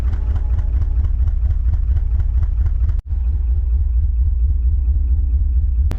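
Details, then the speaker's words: Long-sitting manual Porsche 928: a low, lumpy idle with uneven pulses, barely running on its own. It picks up and runs on starting spray. Oil pressure is good, and the injectors are suspected. Finding: fuel starvation. "oh it is running on its own but barely uh it's definitely a fuel problem spraying that uh goco juice in there it'd pick right up and run"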